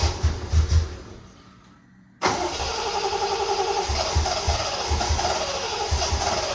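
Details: Triumph TR6 mystery no-start after cleaning and gapping plugs, distributor and coil reassembled, fuel pump giving no resistance when priming: starter churns in steady even beats, pauses, churns again without firing; cranks but won't start, cause unknown.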